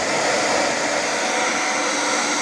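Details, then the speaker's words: Hair dryer after motor replacement with a roughly 90 zł aftermarket motor, professional-grade salon dryer used for several years; drawing nearly 8 A: steady even rushing hiss, no rattle, scrape or pitch wobble; repair successful, normal running. "różnica jest teraz bardzo wciskał także naprawa się powiodła"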